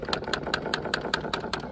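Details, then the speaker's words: 2012 or 2013 Dodge Grand Caravan with the HVAC switched on: crisp, even plastic clicking about five times a second over a faint idle, happening intermittently. The rear air mix (blend door) motor in the rear airbox is faulty. "turn it on and the rear air mix motor starts doing a bunch of clicking in here."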